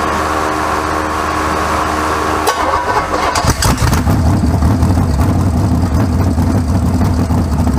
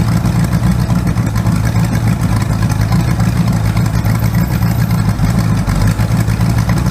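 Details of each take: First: First start of a freshly rebuilt 408 small-block Chevy for a 1972 C20 truck (to be boosted), with MSD distributor and carburetor and no tune: the starter whirs briefly, then the V8 catches at once into a steady, even, deep idle with no knocks. Normal idle. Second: Rebuilt 408 small-block Chevy on an engine run stand, open headers, 20° initial timing, old used plugs: loud V8 with a lumpy, uneven beat and a skipping pulse as the number one cylinder misfires on a bad plug.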